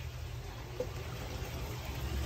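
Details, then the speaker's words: Fluval FX6 canister filter after a water change: inlet valve closed, filter unplugged, valve reopened; a low watery rumble with faint gurgling as trapped air bleeds out and the canister fills with water, fixing sputtering output. "what that's doing is releasing the air that's trapped inside your fx6 and filling the entire canister with water"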